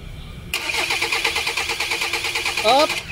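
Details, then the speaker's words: Hyundai Tucson diesel with hard starting and extended cranking: after the surplus crankshaft sensor is fitted and codes cleared, the starter churns steadily about six beats a second for nearly three seconds while fuel, lost when the lines were opened, primes back before starting. "hindi wala pa yan sir Wala pang fuel yan pagka umandar doon natin malalaman yan sa una talaga Wala eh wala pa yan"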